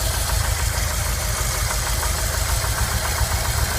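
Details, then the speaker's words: 1990 VW Vanagon with Digifant, after a full tune-up, idling while timing is checked: low, lumpy idle with uneven beats at about three to four per second that never settle; rough low idle. "Alright, trying to time this 1990 Vanagon. I'm idling really low. I've done a full tune-up."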